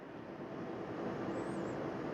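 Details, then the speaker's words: Bluetti AC300 LiFePO4 power station running about 3,092 W, over its 3,000 W rating. The cooling fan kicks on for the first time, a soft steady whoosh with no rattle or whine; very quiet and running smoothly. "Now, one thing I noticed, the fan hasn't kicked on at all until now. But I don't know if you guys can hear that."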